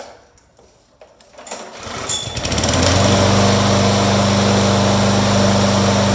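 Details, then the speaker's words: Yard-sale push mower that had been struck, primed and pull-started: catches and settles into fast even buzz with no shake or wobble, so crankshaft not bent; runs smoothly. "Also, if you're not sure if the crank is bent, if you fire it back up, it will vibrate so bad you can't hold on to it. This one's pretty smooth, so no worries about"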